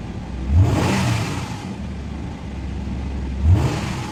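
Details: Nissan V6 VQ25 engine after no-crank no-start troubleshooting and fix: engine fires and takes two clean throttle blips, rising and falling smoothly and settling back to a steady idle; normal start and rev.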